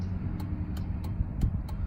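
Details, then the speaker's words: 2003 Suburban, new replacement flasher module (old one intermittent): relay clicks over low engine rumble, a long blink then a quick one, then standard pattern; normal start-up behaviour of the new flasher, apparently by design. "how it does the first blink it's kind of different it does a the the first blink it's quicker I notice it we got a long a long blink than a quick blink and then a standard you know pattern to it"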